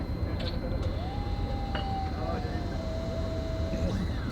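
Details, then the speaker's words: Car with a newly fitted, hot-wired fuel pump: a steady mid-pitched whine for about three seconds over a low rumble as the pump spins backwards because the fuel system has no check valve; a check valve is to be added. "but you hear that mhm there's no check valve on this fuel system so the fuel pump is going backwards that's okay for right now but we'll have to put a check valve so it holds the pressure going forward"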